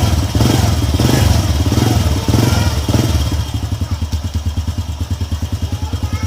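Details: Honda EX5 Dream single-cylinder motorcycle after reassembly and fresh engine oil, rough loud noise traced to a loose screw: even idle thump about three beats a second, no rattle or clatter; normal idle after repair.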